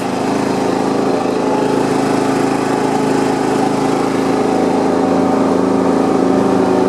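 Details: John Deere 170 lawn tractor after steering and front wheel repairs, mowing deck off, driven on the street in 5th. Small single-cylinder engine runs at a smooth, even speed with no knocks or rattles; normal running.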